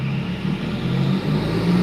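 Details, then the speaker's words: 2016 Subaru WRX with flex-fuel kit, full-throttle pull on the dyno: deep loud roar steady under heavy load, no knock, air-fuel ratios flat; normal full-throttle run. "there's no knock air fuels are flat looking good"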